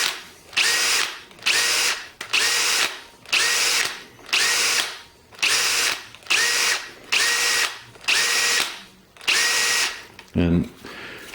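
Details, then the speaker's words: Milwaukee 2607-20 cordless hammer drill comparison: a different drill gives about ten short whirring spins, each winding down to a light clink on trigger release, occasionally more pronounced; normal, unlike the Milwaukee whose rapid shaft lock loosens its chuck. "so you get it a more pronounced one every now and again but it's still nothing like the milwaukee"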